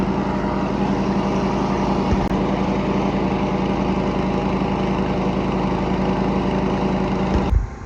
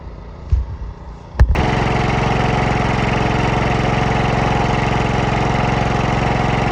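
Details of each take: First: Cub Cadet 104 garden tractor, ant-infested and sitting many years, deck and mule-drive belt reinstalled: single-cylinder runs steady and even under mowing load with no stumbles, then cuts off cleanly; fired right up, healthy running. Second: Cub Cadet 104 mower, ant infested and sitting many years, fresh gas poured in: a couple of cranking thumps, then it fires into a steady, slightly uneven idle, running only on choke; fuel starvation suspected.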